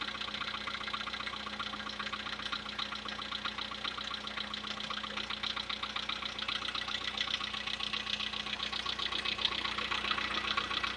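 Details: Light, regular ticking knock about twice a second over a steady idle on a VW Polo Sedan with CFNA engine; cause unclear, and the owner tests whether decarbonization cures it.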